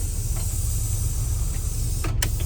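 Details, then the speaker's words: 2008 IC RE300 school bus with a pneumatic door working normally: a steady air hiss over a low engine rumble, then a hissing burst as the cylinder moves the door. "It is literally just a cylinder connected right to the door with a linkage rod and it opens and shuts perfectly."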